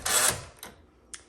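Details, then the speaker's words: 1961 Smith Corona Sterling 5A series typewriter: short harsh gritty burst as the carriage return handle is used, then a couple of light clicks; noisy, grinding carriage return. "It's a little noisy on the return handle."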